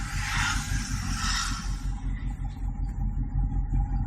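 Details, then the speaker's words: 1989/90 Chevrolet Monza SL/E after camshaft, rocker cage and hydraulic lifter replacement, just started and warming without throttle, choke only: low even idle with no top-end tapping; former noise gone, healthy idle. "como pode notar já não escuta mais o barulho de uma ligada nele a aquecida não acelerei somente utilizei o jogador"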